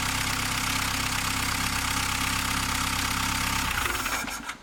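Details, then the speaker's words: VW Golf Mk3 engine after head gasket replacement: catches and holds a steady, even idle with no knock or misfire before switch-off; normal idle. "Obviously it starts, it runs, so I think I'm ready to finish the assembling process and installing the other parts that I miss on this side of the engine, and to pour some cooling liquid and finally see the final result."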